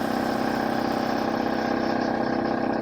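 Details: Shop air compressor after its failure was fixed with a new capacitor and one quart of oil added: steady, even chug at about 160 beats a minute with constant hum, no knocks or squeal, building pressure through the system normally.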